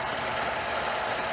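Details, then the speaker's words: Chevy Cavalier 2.2 Ecotec idling: steady idle with light, even tick-tick riding over it, from the injectors, not the timing chain; engine runs healthy. "it runs great that tick tick tick you hear it's not timing chain noise that's the injectors and they sound very healthy"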